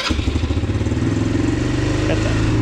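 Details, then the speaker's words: 150cc GY6 four-wheeler just fitted with a replacement carburetor: quick, even firing sitting noticeably faster than normal idle; idle set too high. "a little high though you may need to adjust that idle air control valve that i showed you right right in there yeah see how it's changing the idle a little bit there we go"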